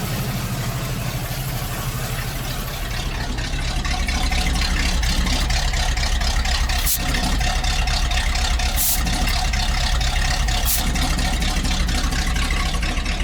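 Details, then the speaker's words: ZIL crane truck idling; nearly silent with the hood closed, but the mufflers have holes in them: even, low idle rumble with a raspy, loud exhaust edge while the engine itself runs smoothly. "Но еще глушители дырявые. Если бы глушители были в огне, то вообще было бы супер."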